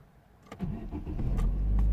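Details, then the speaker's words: 2009 Vauxhall/Opel Astra H 1.6 petrol, previously crank no start with P0685, after repairing a wire and clearing codes; short crank, then it catches and settles into a steady, even low idle; normal start. "there we go it's starting again"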